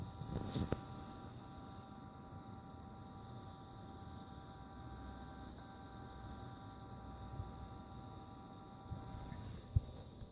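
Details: Seagate 8TB ST8000DM002 hard drive, computer booted and drive idle: a quiet, steady whine of several stacked tones with a few faint clicks. Abnormal idle noise.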